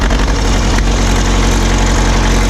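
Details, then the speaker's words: Caterpillar D4 crawler diesel, recently got running; deep steady low rumble with an even beat, no knocks or misses. Normal diesel idle. "so if you saw the last video you know that I got this thing running and it actually sounds pretty"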